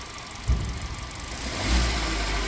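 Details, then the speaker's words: Hyundai i20 diesel after service with common rail and air intake refitted: clatter at idle then a clean throttle blip rising and settling smoothly, no odd noises; running well. "बढ़िया चल रहा है अभी।"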